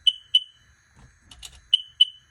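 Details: 2021 Sea-Doo Spark showing limp home mode and not starting: sharp high beeps in pairs, two quick chirps, pause, two more, from the old relay; the new relay stopped the sound and the engine then started.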